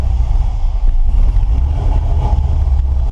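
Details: LSX-swapped S10 with FiTech Ultimate LS EFI and the factory ECM running the gauges: a deep, steady V8 rumble just after start-up following a dead battery. The idle settles with slight unevenness during IAC relearn, which is normal.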